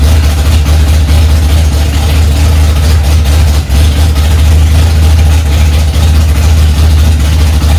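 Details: 1965 Ford Mustang, freshly rebuilt 289 small-block V8, cold on its first start, mixture screws two turns out: deep, loud, steady fast idle with an even low rumble, no knocks or misses; running healthy.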